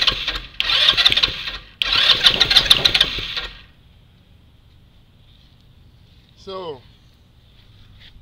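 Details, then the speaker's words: GY6 engine in a Spiderbox, battery freshly charged: starter whirs strongly in two bursts but engine never catches; cranks but won't start. Owner suspects carb or overly rigid hard-plastic fuel lines. "why does this thing not want to start up could it be the carb maybe the fuel line"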